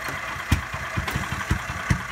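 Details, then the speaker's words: Small engine cranking with choke out and gas pedal down after refitting the old spark plug, which showed spark when grounded; sharp irregular backfire pops, nearly catches but never starts. Engine running rich despite clean air filter; bad spark plug suspected. "I'm going to pull my choke out right here. I've got my foot on the gas pedal and notice what the engine does. Nothing is running. I can choke it, hear the backfiring."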